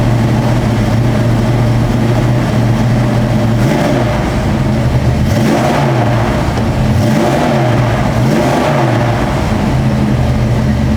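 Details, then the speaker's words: 1966 Ford Mustang 289 V8 with long tube headers, full dual exhaust and turbo-style mufflers revving: deep, even burble with clean rising and falling revs, no knocks or misses; healthy engine. "We'll fire that motor up. That way you get to hear what the 289 sounds like with that full dual exhaust with the long tube headers and turbo mufflers."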